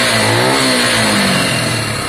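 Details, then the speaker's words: Piaggio Fly 125 scooter, warming up after the air-fuel screw was set from 1.5 to 2.5 turns out, choke off: it revs up cleanly and drops back without stumbling or popping; the mixture sounds right and it runs much happier. "yeah that's fine that seems much much better to me it's much happier"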